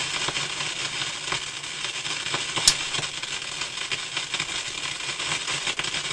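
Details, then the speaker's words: Philips console tube stereo receiver with tubes being pulled to isolate pops: a steady loud hiss with random sharp crackles from one speaker, still present with the volume down. The owner suspects the amplifier stage. "All that static and crashing was coming out of one speaker. When I turned the volume down, it was still making all that noise. Sounds like that's the amplifier."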